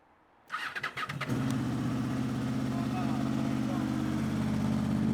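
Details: 2005 Honda VFR800 V4 with gutted exhaust, cold start at about 0 degrees after 10 days parked outside in snow with no battery charger: a few quick cranking bursts, then it fires straight away into an even, deep, steady idle rumble, smoking; healthy cold start.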